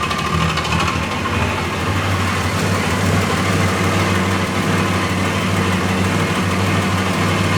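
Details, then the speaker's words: 1995 80 Series Land Cruiser 1FZ-FE, first start after repair work with the airbox and spark plugs refitted: uneven, lumpy idle, smoother than before, with a loose rattle from the exhaust. Roughness possibly from old bad fuel still in the tank; suspected. "A little bit lumpy, but that could be bad fuel still because we've still got crappy fuel on it."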